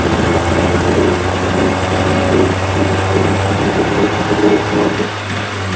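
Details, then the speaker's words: 1980 Chrysler 45 hp two-stroke outboard, after the crank-no-start complaint, idling with a steady, even low drone and no knocks or misses; responsive, nothing found wrong. "i don't know if it seems to be running fine i don't know i mean this is responsive [Applause] again there's nothing wrong with this"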